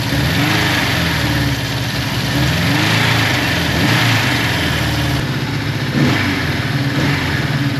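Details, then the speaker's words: Suzuki GS550T, first start after 10-15 years stored, carbs cleaned: idles low and slightly uneven, beat sagging, barely holding on choke; idle speed set too low, to be adjusted. "so it needs a bit of Choke so it's running and I'm really shocked with that but uh it needs a bit of Choke to keep running so I just speed is a bit low I'll adjust that now in a second"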